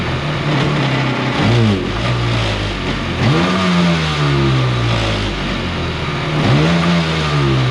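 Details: 750 Kawasaki jetski engine in mini jet boat with pump reinstalled, motor mount just tightened: revs climb sluggishly and rough with lots of extra noise versus running without pump, though earlier loud noise is gone.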